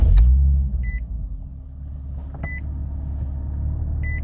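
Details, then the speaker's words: Nissan 370Z Nismo hot restart right after driving: fires straight away and settles into a smooth, even low idle with dash chime; starts fine hot, complaint is long crank and low power on cold start. "And to me, it seemed like it started up just fine, no issues at all."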